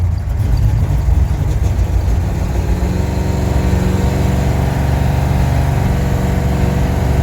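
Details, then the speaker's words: Carbureted V8 drag car driven on highway after carburetor and timing changes, running rich: lumpy idle with dropped pulses, missing after stopping at gas station; owner suspects coil or distributor heat soak. "Once I would stop, it would seem like the coil would just kind of heat soak or something like that, and then it would just start missing. And it's kind of doing that now too."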